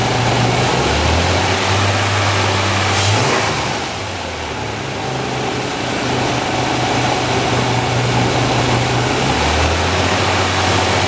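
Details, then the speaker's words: 2008 Toyota FJ Cruiser, 4.0 L V6, automatic, 4x4, about 152,000 miles, front-end damaged: smooth, even V6 idle that climbs cleanly when blipped and settles back steadily, no knocks or ticks; an excellent-running healthy engine. "as you can hear this is an excellent running 152,000 mile motor"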